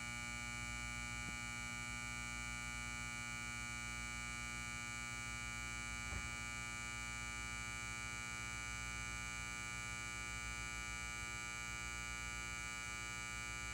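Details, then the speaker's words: Lithonia Lighting 250W pulse-start metal halide high-bay light, LumaSuper ED28 bulb, base up, M153/O ballast, 11 months old, turned on: a steady loud mains buzz with an even tone, no flicker or crackle, during warm-up; normal ballast hum. "And warning to headphone users, this bakelite has a loud ballast. So if you want to listen to the ballast very loudly, then turn up your volume."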